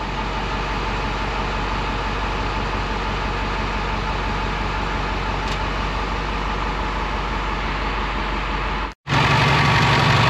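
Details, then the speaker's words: Skoolie bus "Delores" diesel engine idling right after a new turbo was fitted, first start with no priming, oil pressure up straight away; steady, even idle with no whistle, hiss or chuff from the turbo side, and no leaks seen or heard. Normal idle. "Well, it's running. I don't hear or see any leaks."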